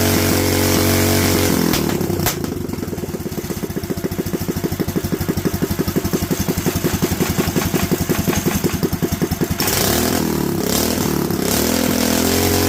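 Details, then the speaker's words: Predator 212 engine carburetor: revs up, then the beat turns ragged as the throttle closes, lean on deceleration; jet going up to a 98, owner bets a 95 is right. "so as you can hear we've got some lean out when it comes down we're gonna up it to the 98 jet"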